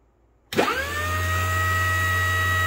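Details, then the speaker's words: ART-13 transmitter dynamotor starting up on the bench, with the 750 V output measured on a voltmeter. A whine sweeps up and settles into a steady, even hum, no rubbing. It reads 860 V on the high side but works fine. Normal running. "right and as you can see we have 860 volts again on the high side but it seems to work fine"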